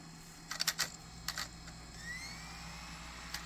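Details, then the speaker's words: Nintendo Wii, long stored and known faulty, first power-up with a disc inserted: a few clicks as the disc seats, then a soft whir climbing steadily in pitch as it spins up and reads; normal disc spin-up. "Just putting this in the Wii should turn on the way. It's spinning. That's a good sign."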